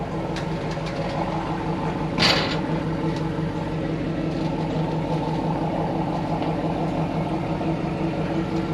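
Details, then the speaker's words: 2002 Trans Am with freshly swapped 6.0L LQ4 V8 replacing a holed 5.7: steady, even idle, smooth low rumble, no knocks or ticks; sounds healthy. "This thing sounds so goddamn good."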